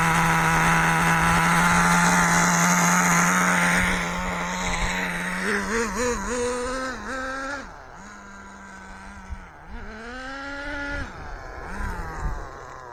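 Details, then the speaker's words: ACME Condor RC nitro on maiden run after rebuild, not very hot, low on fuel: small engine buzzes high and uneven, surging and sagging, burbly and smoky; running rich despite slight leaning, improved. "It's wingeding it off a little bit, but I won't go much more than that. Still smoke and rich. It's better"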